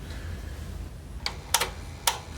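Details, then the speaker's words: Sony TC-WR710 dual cassette deck, not working on the bench, deck B; no mechanism movement, just clicking, then stops; a few sharp clicks about a second apart, no motor or tape running; worn belts suspected. "No movement whatsoever in the mechanism. All you hear is just clicking. And it comes to a stop."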